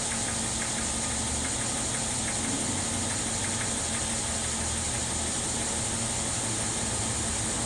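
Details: 2012 Mercedes-Benz ML 350 running steadily with a quick light knocking over it; cause not pinned down (Xentry topic LI05.10-P-056435).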